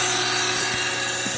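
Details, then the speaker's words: Old pool pump reused to pump rainwater from tanks to a garden: steady harsh whirring hiss with a faint hum and no speed change. Owner notes some gunk stuck in it; cause unclear. Noisy pump. "and yeah that pump doesn't sound great but we'll see it'll run as long as it runs probably not good to let it run put the water on 15 yeah this doesn't sound good anyway"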